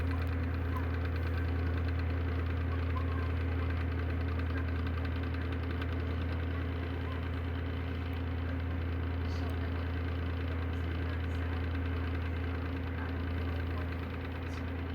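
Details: Electric motor runs with a deep hum and a steady rough knock about three times a second; owner attributes it to bad bearings and plans to replace the unit.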